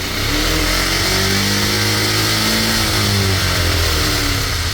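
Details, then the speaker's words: Cheap monkey bike, small single with poor running and smoking before a carb strip: it revs up and eases back smoothly on light throttle but dies and bogs completely at full throttle. Suspected fuelling issue, carb cleaning and rejetting planned. "As long as you put very little throttle, it will rev up. But as soon as you put full throttle, it dies. Bogs out completely."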